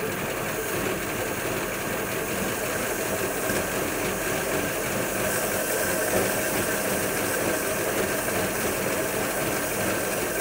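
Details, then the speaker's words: 1941 Ford pickup flathead, parked for a couple of months, runs rough and won't rev; swapping high-tension ignition parts brings no change, which rules out the high-tension side unless it's the coil. "oh that just goes to show that it's it's not the high-tension side of the ignition unless it's the coil"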